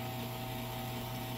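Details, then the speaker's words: CM VO19 vacuum pump switched on with the air outlet switch closed, pumping down toward -29; quiet steady low drone with even pitch, pump running smoothly and normally. "And it'll just pump it all the way down to negative 29, and then the pump will shut itself"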